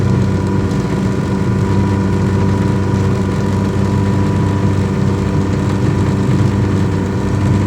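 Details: Yamaha 100 HP outboard test run after an ignition misfire: steady, even drone with constant low pitch and no stumbles or dropouts, running smoothly on all cylinders; normal running.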